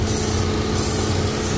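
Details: 2014 Holden Cruze JH with code P0171, fuel trims around +58 to +67%: a steady airy hiss over the idle from a vacuum leak through a split PCV diaphragm in the rocker cover, which also seems to cause low boost.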